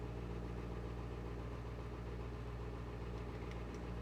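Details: International 3800 school bus T444E diesel, cold start at about zero degrees after one glow plug cycle, battery possibly low: deep, steady rumble at cold idle, smooth with no misses or knocks; 63 psi oil pressure, healthy.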